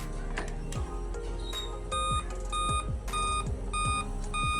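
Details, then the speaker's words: Laptop at power-on, display otherwise normal: short, clear beeps from the speaker repeat about every half second without stopping; the cause is a discharged CMOS battery on the motherboard. "बाकी display सब कुछ आपका खुलता है normal लेकिन आपकी आवाज जो ऐसी आती रहती है कंप्यूटर बार-बार और आप काफी इरिटेट होते हैं"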